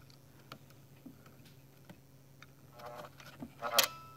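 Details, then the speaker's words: Keurig K150P brewer with suspected faulty board, solenoid plugged back in: light ticks and buzzing, then a crisp click as it fully closes; this solenoid is the one working well. "and then it should click when it's fully closed you can hear its and there it is"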